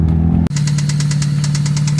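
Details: Engine at idle after valve lash adjustment (several were off): steady drone with fast, even metallic tick-rattle about eight per second; owners unsure if rod knock or something else. Engine rattle, source unconfirmed.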